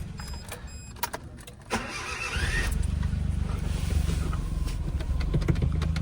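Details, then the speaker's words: 1998 4WD (clutch possibly worn) at a Japanese auction: a few clicks, then a short whirring crank with a thin rising whine before catching to a steady idle; unusual starter noise on cranking, cause unknown. "Let's start it though. Whoa, that sounded electric. What the hell?"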